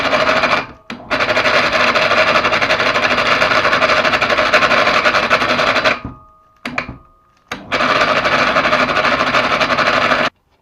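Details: Mini hoist (electric hoist) PA 250/500: motor runs in bursts with a rough, buzzy rattle and faint whine over its hum; abnormal noise, bearings and brake pads checked and look fine, cause not yet found.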